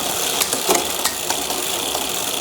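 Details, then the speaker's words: HUP youth XC bike, Shimano XT 10-speed rear shifting on the stand; fast chain whir with sharp clicks, slow to settle on downshifts from too much cable tension, fixed by turning the shifter barrel adjuster two turns in. "That's a little bit sluggish coming down. There's too much cable tension on there."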